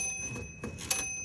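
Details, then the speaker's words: 1951 Royal Quiet Deluxe typewriter with the carriage moved back and forth: it rattles along, then a single bright ding rings near the end of travel; the margin bell works normally. "I'm going to go back and forth on the carriage here. You can hear the bell."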